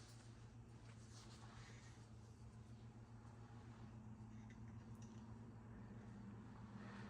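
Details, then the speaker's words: 1990 42-inch Contempra Supreme ceiling fan running on medium: a low motor hum with a rough, grumbling edge from worn bearings, already fairly bad on medium and worse on high. "And you'll definitely hear the bearing noise in this fan in a little bit. It's especially bad on high speed. It's actually already fairly bad on medium."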